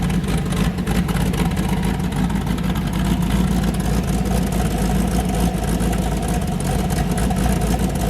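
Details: Boosted car "James Brown", freshly started with a new cam after a 23 psi pull blew a coupler off: loping, lumpy idle with a steady beat on all cylinders and no misfires. Normal choppy cam idle, engine sounding happy.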